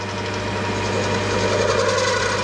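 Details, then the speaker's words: Home-workshop lathe deliberately set up between centres with a loose dog clamp and massive tool overhang: hard, rough buzzing scream that never settles during the cut; severe tool chatter. "oh yeah that's horrible oh yep now she's unhappy she is unhappy yeah okay yeah that's about all I can take for for for Tool chatter because my lather is getting hurt"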